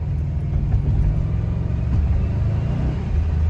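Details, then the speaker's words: Free Subaru B4 with a known bad clutch, punched hard in second gear. Deep steady engine drone under full throttle that never builds into a rising pull. The clutch definitely slips under load. "give it some torque and maybe second gear all right so second gear i'm just gonna punch it and of course it proved me wrong so i don't know it definitely slips let me try"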